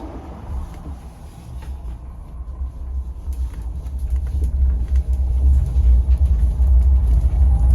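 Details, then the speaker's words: Austin van electric conversion (Kinghorn Electric Vehicles) accelerating 0 to 40 mph: low road rumble swells steadily as speed builds, no knocks, clunks or grinding; electric drive pulling smoothly, normal. "Anyway, I thought it would be fun to show you how quickly it accelerates from 0 to 40 mph. So, here's what it looks like and what it sounds like."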